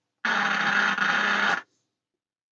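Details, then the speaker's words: Admiral AW5 valve mantle radio under restoration: harsh burst of static hiss and crackle over a second, then cuts out; noise fault persists, suspected dry joint on board or valve sockets, not confirmed. "We'll come back and see if that noise is still present. It could be a dry joint on this board."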